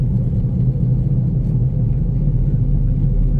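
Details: Toyota Vios taxi on a road test: a loud, steady low growl and hum, like grinding metal, felt even through the floor, from a noisy wheel bearing.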